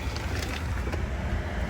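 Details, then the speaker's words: Goodman air conditioner furnace blower running, system with liquid line restriction and iced coil: steady low rumble with even airflow hum, no rubbing, squeal or rattle; normal blower fan operation. "sounds like there's no issue with the fan."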